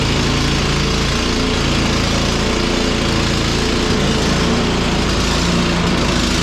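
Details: Cub Cadet 1X snow blower that would not start after storage with undrained gas, now running on fresh gasoline; steady even single-cylinder putter at fast idle with no misses or surging; normal running.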